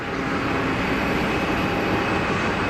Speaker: whoa It's got the rat you see the rats that's why it's making the noise because the rats deployed you see that on the nose